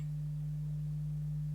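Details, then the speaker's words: 1965 Garrard SP25 Mk1 turntable with new earthed mains cable and new phono cable, amp switched on: constant low 50 Hz mains hum with nothing playing; suspected earth loop from earthing the mains lead. "so there's mains hum for a start. I don't know if you can hear that. It's there you go, you can probably hear 50 Hertz mains hum."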